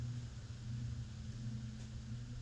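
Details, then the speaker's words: Hunter/Robbins & Myers Type 22046 Original vintage ceiling fan on low speed, blade irons re-clocked and mostly balanced, about 1.68 A, 89 W: quiet steady hum, no wobble or thumping; normal low-speed run. "Okay, so there's your low, and it really looks more like a medium. Yeah, it's better than you sometimes see."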